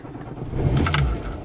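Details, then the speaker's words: VW Golf 2 after fixing a distributor ignition fault, before strobe-lamp timing adjustment: short crank, then catches promptly and settles into a steady idle; starts cleanly, timing to be set as it used 16 L/100 km. "Elle démarre, c'est déjà une grande chose. Là, moi, rien que ça, déjà, je suis content."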